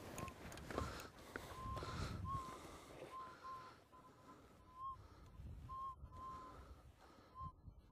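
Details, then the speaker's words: Minelab Eureka Gold detector at 60 kHz in boost mode over a wash: faint irregular warbling high-pitched blips; ground mineralization noise, not a target signal. "and you hear that ground noise I'm going to take the machine out of boost and that's not the target signal anymore that's the ground mineralization"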